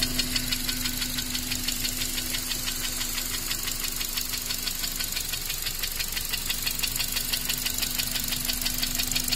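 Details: Honda Accord 7th gen, K20A engine, after oil starvation: sharp regular metallic knocking about three per second over a steady idle, from cylinder two in the upper block; engine knock.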